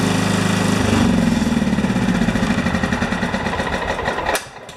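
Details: John Deere STX38 yard tractor small single-cylinder engine, started after PTO clutch and ignition switch work to check charging: thumping along evenly about three beats a second, then winding down; runs normally.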